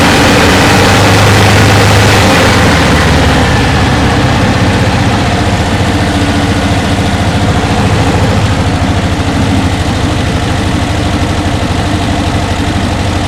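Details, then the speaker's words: 1968 Porsche 912 1600 flat-four, off the road, in for revival: loud idle with lumpy, ragged low throb and backfire; carburetors suspected faulty, valves not yet checked; rough running. "all right twisted desert a backfire those carbs man probably got what I'm gonna do is end up ordering new ones"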